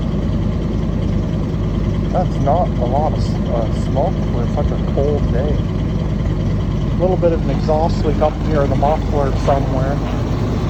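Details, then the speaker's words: 1976 Chevy 454 big block at about minus 28°C (feels mid minus 30s), plugged in 1.5 hours with charged battery, on roughly 3-year-old fuel: deep, steady V8 idle, even rumble, no misses or knocks, a little smoke; normal cold idle. "You know, you you you plug in a big block, have a reasonably warm battery charged up, and even in the minus30s, a 1976 big block can roar to life."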